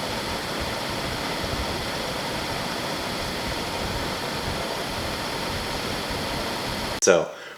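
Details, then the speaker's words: 2014 Jeep Grand Cherokee Overland (WK2) cabin blower motor, part PM9353, before replacement: still blows at every speed setting one through seven but makes a loud, steady rushing roar; worn blower motor bearings. "i will do a short clip here to show you what it sounds like when the bearings go out it still blows air at every increment of one through seven but it makes a very very noisy sound which is annoying while we're on the road"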